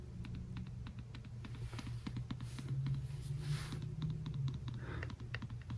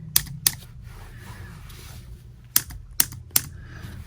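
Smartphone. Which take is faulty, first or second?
second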